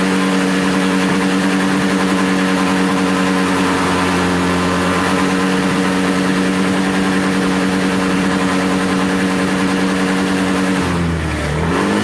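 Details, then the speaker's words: Buddy 125 or Chinese 125 scooter after carburetor clean/rebuild or new carburetor: steady even idle, smooth low thrum, no knocks or stumbles, settling briefly near the end; healthy idle. "all right i like the auto right there it sounds good it's a good idle"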